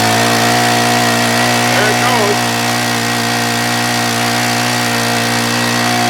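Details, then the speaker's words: Honda WX10 water pump, about 10 years old, running after repair and priming the engine with gasoline: steady, even drone at constant speed without stumbling or surging; running properly. "goes well that shouldn't take too long to fill that up you might have to gas it up once before we get it finished filling up but it's working now"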